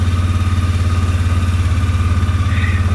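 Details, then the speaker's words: 2003 Polaris Sportsman, 2,700 miles, on choke, cold after sitting five days, about 12 degrees morning: started first try, low even putter about three pulses a second, no knocks or misses; cold engine idling fine. "That started. First try. Been sitting for 5 days and it's cold."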